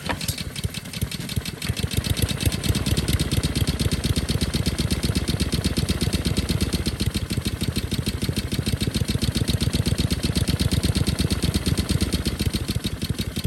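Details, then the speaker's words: Discarded Honda lawn mower single-cylinder, bottle-fed at full throttle: fast ragged uneven popping, running badly because the choke butterfly isn't closing. "engines don't run on choke or if they do they run really badly"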